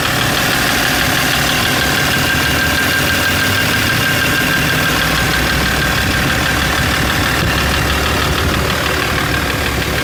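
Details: BMW M57 3.0 diesel knocks right after the injectors were removed and refitted. Three were seized and pulled with a slide hammer, one was replaced, one adjusted, and the wells reamed. It is a steady idle with a hard knock about three times a second; cause unknown.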